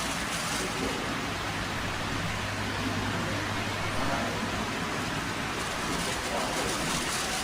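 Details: Hatari HB-T16M2 stand fan, which knocked when oscillating a month after the oscillation gear was replaced, now after repair: steady, even airflow hiss with no knocks or clicks while oscillating.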